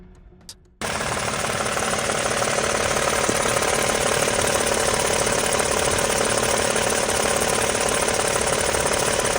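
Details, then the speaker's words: 2026 Toyota Tundra with just over 5,000 miles: sharp regular knocking about three times a second over the running engine; owner asks whether this noise is normal; abnormal engine knock, cause unknown. "A 2026 Tundra owner uploaded a video with one simple question. Is this engine noise supposed to sound like"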